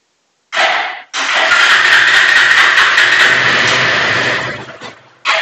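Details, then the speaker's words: Bajaj Pulsar 180 BS4 motorcycle with a starting problem, tested with a CDI fitted: the engine catches, runs rough for about three seconds, then fades out and dies, so the fault is the CDI. "देखो, यह बंद है। जा रहा है। यह बात है। यह बंद है। आप देखें। इसलिए? तब समस्या सीडीआई।"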